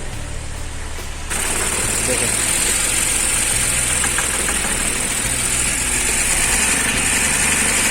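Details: BMW petrol engine with Valvetronic, shakes and barely stays running on start: uneven shaky idle around four pulses a second; rough idle/misfire from swapped Valvetronic sensor connectors.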